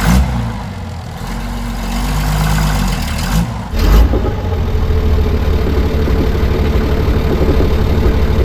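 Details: 60-year-old International Harvester 6x6 army tipper, Perkins 6354 diesel, sat about 10 years, starting to drive out of the bush: muffled low rumble, sharp catch near four seconds, then a steady, deep, even idle; starts fine.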